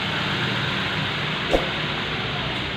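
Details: Nissan GX, QG16 petrol engine, after repairing low fuel pressure and hard starting caused by a crushed fuel pump O-ring, improvised with fuel hose. Steady, even idle with no misses, knocks or hunting: normal idle with fuel pressure restored.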